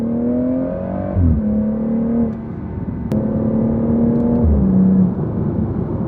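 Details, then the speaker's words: BMW 440i with a new valveless Dinan free-flow exhaust, heard from the cabin while accelerating: deep, even drone rising through two upshifts, loud but not obnoxious, no rasp or leaks; normal. "my first impressions are it's it's pretty loud when you're accelerating from the inside but it's not too obnoxious you know and it has that really nice deep tone to it"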